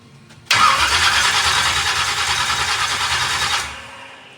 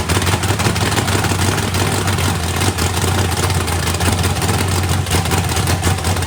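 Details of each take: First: 409ci small-block Chevy race car at first fire-up: about three seconds of labored, uneven cranking that fades without firing; slow cranking, battery suspected nearly dead. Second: Freshly built 409ci small-block Chevy V8 drag car on first fire-up, turbo not yet fitted, battery nearly dead: steady, even, lumpy rumble with no knocks or ticks over the exhaust; running healthy.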